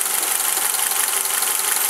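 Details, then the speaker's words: 1990 Honda Accord warm idle: light, fast, high-pitched ticking from the overhead-cam valvetrain; owner suspects valve lash needs adjusting, plus a lower sound possibly a vacuum leak or PCV valve, cause suspected, not confirmed. "you can hear a slight kind of like ticking noise it's the higher pitch kicking noise and that's telling me that probably needs to have the valve lashing done"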